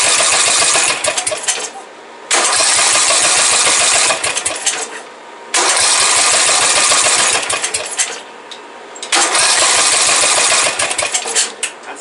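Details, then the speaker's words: Briggs & Stratton 17.5 OHV single-cylinder lawnmower engine, valves just adjusted and compression release working, spark confirmed; runs in uneven surges, picking up and sagging every few seconds; owner suspects carburetor still starving it of fuel, to be pulled. "Now all we really need to do is pull off our carburetor, because I can tell that that is still being starved of fuel."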